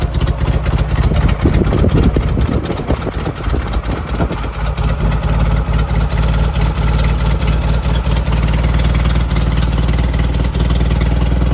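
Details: 1988 Suzuki Samurai parked since the late 1990s, straight-piped with no exhaust at all: crank catches into a loud, raw, rapid popping idle with sharp undamped pulses; running with no exhaust system.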